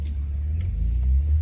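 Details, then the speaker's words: 1972 Datsun 240Z at warm idle after the choke, which had been left slightly pulled, is pushed fully off. A warm engine floods with choke on. Low, even rumble with no misses or stumbles; it now sounds much better. Normal idle. "Entonces bueno, ahora está en su posición buena y se escucha bastante mejor."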